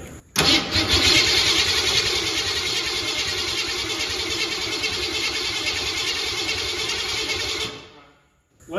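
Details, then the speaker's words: 1972 Ford Pinto drag car, V8 302, C4 transmission, not run in a while, after distributor adjustment. Starter spins fast and steady for about seven seconds with no pop or catch; cranks but won't fire, spark assumed. "It wasn't even trying, was it? It never even popped. The way it was cranking, it almost has to have spark."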